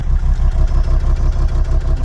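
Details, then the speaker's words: 2003 Volvo XC90 D5 diesel, cold start, heard at the exhaust: normal idle turns into an uneven, chugging misfire after a tiny throttle blip, running on 4 cylinders; the cause is under investigation. "you can hear that misfire as well."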